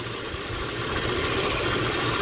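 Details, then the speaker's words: Jeep Cherokee 4.0 inline-six, clean oil, idling while warming up: short even idle with steady low hum, only power steering pump noise, no knocks or ticks; healthy engine. "this is the sound i'm hearing pretty much the power steering uh pump but so far sounds great my initial reaction is gonna be you know this is a pretty solid 4.0"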